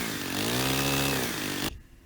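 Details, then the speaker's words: Stihl FS90 trimmer at full throttle, trigger pulled, while the H (high) carburetor screw is set to the full-speed sweet spot; loud, steady high-revving two-stroke buzz, pitch swelling then cutting off. Normal full-throttle running. "so basically you need to have the trigger pulled and just get it at that sweet spot where it's running at full speed"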